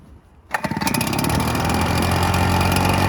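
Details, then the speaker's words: Cold start of a Red Max EBZ7100 two-stroke backpack blower, rescued from the dump with its missing fuel lines replaced and carburetor repaired, started on choke. Quiet, then it catches about half a second in and settles straight into a steady, even high buzz; healthy start. "So yeah, let's just get it started. Choke. We have an on-off switch."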